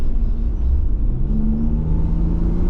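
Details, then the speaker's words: Toyota Aristo V300 2JZ-GTE twin turbo, oil at temperature, after new spark plugs fixed a misfire under load: strong clean pull with steadily rising engine note, no stumbles or popping; healthy acceleration. "It was just misfiring. Now it just uh it pulls hard as it should."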